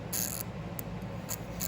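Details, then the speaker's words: Honda Shadow bobber with newly installed $6 starter solenoid, key in run, pressing start after a connector smoked when swapped: short bursts of rapid sharp clicking, no cranking; electrical fault, cause unknown; owner smells gas, suspects fuel pump. "So yeah, right now it's in the run position and hitting start to start the starter. And that's all I'm getting."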